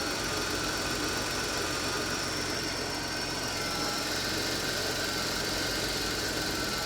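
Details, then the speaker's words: 1987 Chrysler LeBaron convertible, 102,000 miles, auction car: steady, even V6 idle with a light mechanical hiss, no misses or knocks; the engine sounds smooth and healthy, normal idle. "this engine sounds fantastic though it really [Music] does here it is look how smooth"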